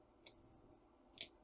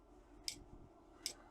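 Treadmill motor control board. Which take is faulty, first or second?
second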